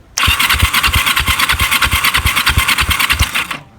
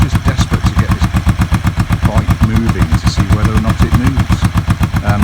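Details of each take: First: Kawasaki EN450 bobber cranking with throttle open and power on: starter turns about three beats a second with weak, uneven compression pulses and no firing; low compression, owner suspects pistons on the left-hand side. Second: Kawasaki EN450 bobber twin idling while warming up after work: steady even thumping at about four beats a second, no knocks or misses; idling cleanly.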